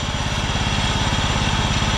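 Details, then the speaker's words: 1993 John Deere LX172 lawn tractor, 14hp Kawasaki FC420V, first run on a jump pack: rapid even pulsing with a steady rough whir underneath; drive belt idler bearing nearly seized, noise goes away with parking brake on. "It was surging a bit at full throttle at full speed, but I can hear a really noisy idler under there."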